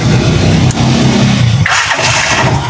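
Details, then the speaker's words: Chariot175 motorcycle after two years without major problems: starter spins briefly, single cylinder catches on first click and settles into steady idle; normal start. "one click lang yan mga travelers. One click start lang yan, talagang under yan."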